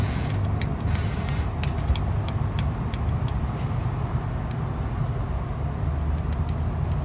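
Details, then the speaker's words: 2016 Jeep Wrangler 3.6 L V6 idling with the intake and valve cover removed: light, sharp tick about three times a second from a rocker arm whose roller bearing has collapsed and come apart, which also scored the camshaft. "so essentially this rocker arm when the camshaft makes its revolution the lobe on the camshaft presses down on the rocker arm the rocker arm in turn presses down on the valve spring opening up the valves and um in this case the roller bearing that's in the center of the rocker arm has come apart"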